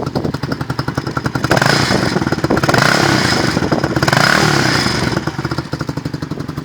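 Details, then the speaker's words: Lexmoto Vixen single-cylinder motorcycle with exhaust silencer baffle removed: putter rising to raspy, loud, barky revs, with some popping on downshifts; loud exhaust. "So yeah, as you can see, it does sound really nice. It does make a little bit of a popping noise when you're downshifting."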